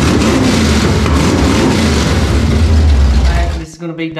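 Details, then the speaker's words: Rebuilt Ford 302 V8 in a 1967 Mustang, quick start on uncapped open headers after cam timing corrected: loud, choppy deep rumble firing evenly for a few seconds before shutoff; runs properly. "Of course, right now it's just uncapped headers, but we're going to go ahead and give it a quick start and let you hear it."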